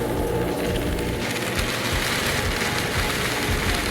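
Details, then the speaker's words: Genie half-horsepower screw-drive garage door opener grinds and rattles loudly and runs past the limit arm without shutting off due to a bad limit switch, which is replaced. "yeah it just blows past this limit here you know once it hits this arm it's supposed to shut off and it's just not doing it"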